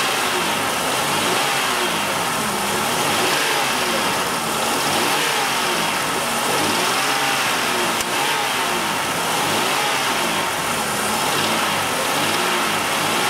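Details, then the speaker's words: GM 3100 V6 revved with scope on knock sensor; hard metallic clatter over idle and revs rising with throttle, slight rod knock or upper engine noise causing false knock signal, timing retard and intermittent low power. "pretty pretty good engine pretty good amount of engine noise on this thing"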